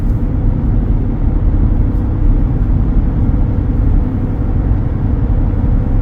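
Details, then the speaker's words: Yokohama Geolandar X-AT all-terrain tires, nearing 40,000 miles after several cross rotations, heard from inside the vehicle at about 55 mph: a constant low droning tread hum, nearly as loud as a mud tire. "so right now I'm running down the road at about 55 M an hour and they do have a hunt to them you can definitely tell they're there they're not quite as loud as a mud tire but pretty close I would say"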